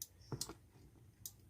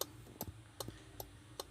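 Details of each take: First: Car with an aftermarket alarm module under the dashboard, switched on by remote to find the turn-signal wire; sharp dry clicks about a second apart from the module's automatic turn-signal output after remote unlock. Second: Car with an aftermarket remote alarm module wired under the dashboard below the steering wheel; steady relay clicks about two and a half per second; the faulty alarm module keeps the hazard lights flashing on their own, parked or driving.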